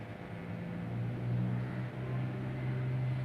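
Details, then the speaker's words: Graphic equalizer 2 x 31 band under test outside its case, no chassis ground, levels closed: steady low electrical hum with a faint buzz that dips when the input is touched; ground loop hum, to be fixed once cased. "Nah, ini berarti kendala ground saja, ini tanpa saya sentuh ya. Kemudian saya sentuh, nah groundnya berkurang."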